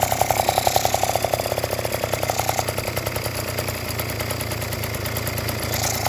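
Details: Yamaha Jog two-stroke scooter that wouldn't start, after cleaning the spark plug and tightening the cylinder head: catches and settles into quick buzzy idle with steady popping exhaust pulses; starts and runs fine.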